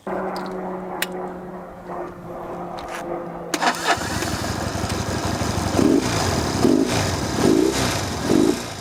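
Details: 1964 Honda CA95 Benly 150 twin at its first start after 30 years, on the electric start with a new throttle cable and a flushed tank: the starter spins, the engine catches at about four seconds and settles into a steady, even idle putter. Normal idle.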